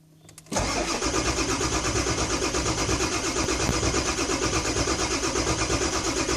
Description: 7.3 crank no start using torque app